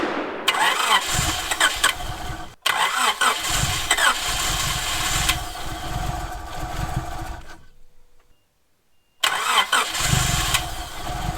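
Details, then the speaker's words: Honda Prelude four-cylinder petrol engine just restarted after work, firing on all four and running evenly, with a light top-end ticking; valves to be adjusted later, cause not confirmed. "So I did just start it up again, started hitting on all 4, sounded pretty decent, a little ticky, but that can obviously be adjusted later."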